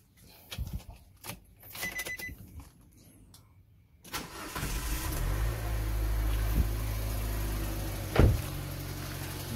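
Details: Car with about 100,000 km, just fitted with a new PCV valve over concerns about exhaust smoke; a few light clicks, then it catches promptly into a smooth, steady low idle with no knocks or hunting. Normal start and idle.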